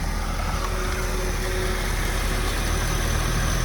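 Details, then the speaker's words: First start of a 2003 Porsche Boxster base with tiptronic and about 144,000 miles, a flood-salvage car sold non-running at auction: it starts and idles smoothly with an even low rumble and no knocks or misses while the AC kicks on. Normal idle. "Wow. Holy smokes. It sounds beautiful."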